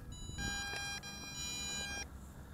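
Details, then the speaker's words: Eachine EX2 mini brushless quadcopter (1306 2750KV motors, 7.4V 850mAh battery) after landing on low battery: high shrill beeping in long bursts after motors stop until unplugged; telemetry warning beeper sounding. "there goes that beeper. Let's turn that off."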